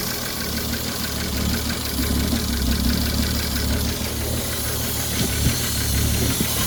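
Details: Ford 3.5 EcoBoost V6 from a Police Interceptor at idle: dull, uneven knock riding over a steady low rumble; rod knock from a worn connecting rod bearing.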